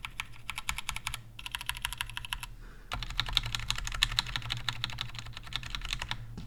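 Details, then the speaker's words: Glorious GMMK Compact stock with unlubed Gateron Browns: steady typing clatter with faint metallic ring and scratchy edge; pinging and scratching from the unlubed switches, lubing expected to improve sound. "so as you can hear there are some pinging sounds and some scratching sounds but they're mostly coming from the unlooped gutter on browns"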